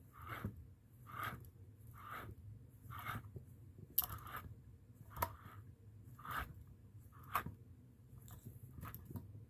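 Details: Old alternator from a 2006 Toyota Avalon XLS that kept roaring after the engine was switched off, shaft turned by hand off the car: rough crunching bursts about every two seconds; gritty rotation from a worn internal bearing.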